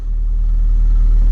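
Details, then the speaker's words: 1995 Chevrolet S10 4WD with four-cylinder, 5-speed and new turndown exhaust: deep, steady rumble swells quickly and settles into even idle; starts right up, normal running. "right now it's a four cylinder with a 5-speed and starts right up surprisingly"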